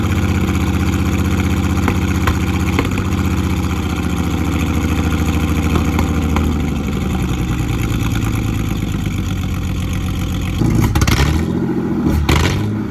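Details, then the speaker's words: Off-road Ford Falcon engine, first running after a long time with starting/ECU issues: rough, uneven idle with irregular stumble in the exhaust beat, a misfire; plugs were then changed. "Yesterday I just changed out the plugs because I don't know if you guys could hear that on camera, but it had like a misfire."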